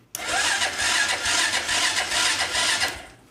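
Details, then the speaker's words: 2001 Honda Foreman 450S ATV, non-running, reportedly lost spark: starter whirs and spins engine steadily about three seconds but never catches; cranks fine with no spark, oil checked, fuses next. "okay obviously turns over is good the starter works I checked the oil before I did that looking good there so what I have to do is pull the plug and start figuring out why it's not sparking"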